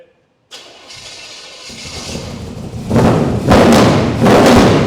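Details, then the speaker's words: First start of a 350 crate V8 just swapped into a 1951 Chevy 3100 farm truck, oil pressure 20 on cranking after earlier timing trouble: starter cranks briefly, catches, takes several strong throttle blips and keeps running cleanly. Normal. "All right, there you go. I'm done. Turn the key off. Told you I was going to have it fired up today."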